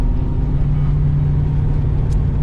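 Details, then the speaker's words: LS1 VN Commodore automatic cruising on the freeway near 100 km/h at 1750–1800 rpm in top gear after a 3.9 diff gear swap: steady low cabin drone with a faint, constant whine from the rear diff. "I don't know if you can hear the whine."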